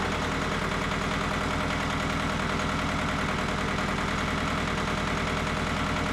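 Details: Mitsubishi MT372 diesel tractor: steady clatter at idle, even beat about three per second, no missing or surging; idles normally.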